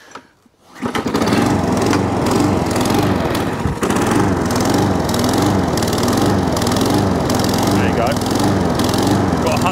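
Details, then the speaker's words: Tip-salvaged Viking lawn mower running; pitch rises and falls in a slow regular wave every second or two; engine hunting, likely why it was thrown out. "do a bit of a hunt though that's okay so someone's throwing it out because it's hunting"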